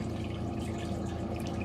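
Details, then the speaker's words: RV water system after a leaking valve near the water heater was removed and pipes repaired, pump switched on with the sink open: steady gurgling rush with light dripping; normal tank filling flow, water heater tank filling slowly. "I can hear the water flowing through the water heater tank. So we're probably filling up the tank slowly."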